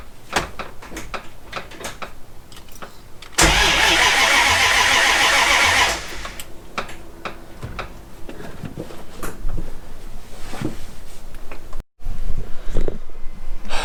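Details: Jeep ZJ with manual V8 swap, new rewired starter, clutch in: starter spins the V8 steadily about two and a half seconds, never catches; no apparent spark, fuel line unhooked earlier, from a faulty crankshaft position sensor.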